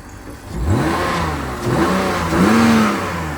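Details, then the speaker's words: BMW E46 warming up to temperature: smooth, even revs climbing and falling cleanly with no knocks, rattles or misses; the petrol engine sounds super healthy. "It's actually super healthy."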